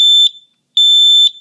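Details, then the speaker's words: Combination smoke and carbon monoxide alarm (replace every seven years), test button pressed: two loud piercing high beeps with short gap; alarm working normally. "now the interesting thing about this one is when you press the button on it it actually gives you a an audible alarm so i'll let you hear this"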